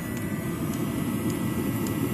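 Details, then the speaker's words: Webasto Thermo Top C heater wired to a simple switch, ramping to full power: steady blower roar with a soft dosing-pump tick about twice a second, even and unbroken, burning cleanly at full output. "ça commence à accélérer on voit que la pompe d'use commence à accélérer également on va arriver à plein régime"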